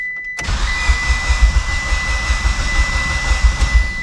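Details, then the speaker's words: Used engine just installed in a Mitsubishi Evo, first start: steady cranking at about four or five pulses a second that almost catches but doesn't; it later fired after a couple of seconds at full throttle. Hard starting. "oh she almost went sometimes they just don't want to start"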